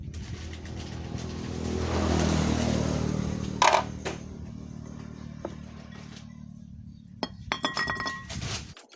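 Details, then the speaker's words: Honda Wave S110 motorcycle engine idling and revving with a light metallic clatter on top from the cam chain tensioner; the cam chain was changed. "hello friends today i saw about repair motorcycle and part of motor that noise of CAM CHAIN,and change it."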